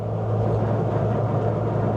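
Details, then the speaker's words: Nissan Sunny pickup with rebuilt A15 engine, lowered, cruising at highway speed: steady low droning hum under road noise; owner suspects diff angle from lowering or a worn universal joint, unconfirmed. "So the weird thing is maybe it's the angle of the diff cuz I've lowered it. Could be."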